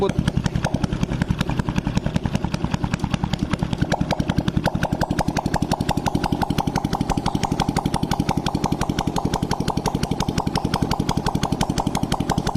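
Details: Honda Blade motorcycle after new boring and head fitted to cure oil smoking, exhaust removed: even steady popping about three pulses a second, no knocks or ticks; smooth healthy idle.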